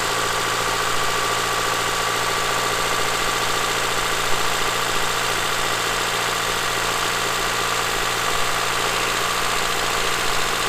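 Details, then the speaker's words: Honda Accord (CB7), 183,000 miles, idling just after first start in three years; steady even idle hum with no knocking or rattle, sounds really good. "now that it runs and it's not knocking it's not you know it doesn't sound like there's marbles in the engine it actually sounds really good"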